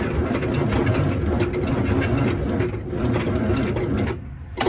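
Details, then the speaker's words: Diesel truck engine, just freed from being stuck (clutch suspected), injectors removed, first crank on the truck batteries: heavy, labored, slow, uneven churning without catching; the starter is dragging on too-weak batteries, more power needed. "I need some more juice than that, ain't we? Alright, well you see it turn over, so let's find some batteries."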